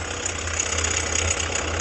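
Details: 2019 Jeep Renegade at idle, front belt-drive area. A constant gritty hiss and fast whirring ride over the engine and stop when the accessory belt is removed; accessory bearings then checked.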